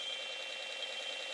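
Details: ZX81 saving to tape on an older, compatible tape recorder, monitor on: steady high screech with warbling data texture and a brief click near the end; clean save signal, later loads successfully.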